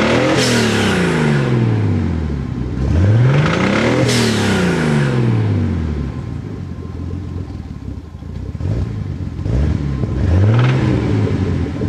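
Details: Nissan 280ZX Turbo L28ET inline-six revved in repeated blips: metallic rod knock, metal hitting metal, riding under the engine note as revs rise.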